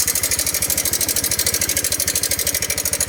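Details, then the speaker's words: 2017–18 Honda Click 125i LED scooter at idle: fast, steady metallic ticking over the engine beat. It gets louder as revs rise, and it was traced to the timing chain tensioner area. Engine ticking at idle. "ตัวนี้ก็เป็นตัวLEDปี2017-18นะครับเครื่องยนต์มีเสียงดังก๊อกแก๊กๆแก๊กบริเวณช่วงนี้นะครับผม"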